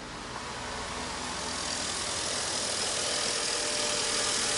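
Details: Fiat Punto, started after adaptation resets: a steady, even idle with a smooth hiss and no knocks or misses; the engine runs cleanly.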